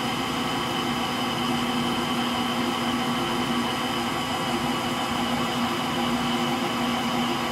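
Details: Frigidaire Gallery front-load washer GLTF1670AS1 final spin with bad motor bearings: even, hissy drum spin with a dull steady drone underneath, no rhythm, likened to a Pratt & Whitney JT8D jet engine.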